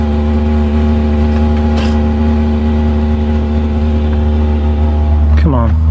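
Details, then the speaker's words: Chinese diesel heater newly installed in a 2015 Freightliner Sprinter van, first run after the fuel line was purged, with hot air coming out. A steady even hum with a constant fan whir: normal running. "there we go here it goes let's see if it comes on oh here we go i hear it it's going"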